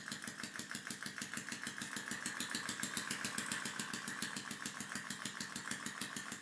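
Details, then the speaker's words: Homemade air engine run on water-tank pressure, after sanding friction points, aligning the membrane and improving the valve seal: fast, even puffing about seven or eight beats a second, turning much faster than it should and starving for air; overspeeding. "Mais il tourne beaucoup plus vite qu'il ne le devrait, et il manque d'air."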